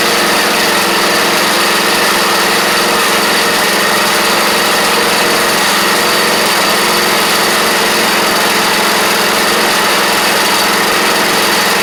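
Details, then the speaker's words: Troy-Bilt Pony rider, first start after fitting new engine and new head gasket, fresh gas; small single settles into steady, even fast idle with no knocks, though it smokes; normal running. "I have smoked myself out of the garage though, man. That ain't the first time. That's all right. I never started pointing inward. If y'all know that Murray rear engine riding story, that's why. But she's a runner."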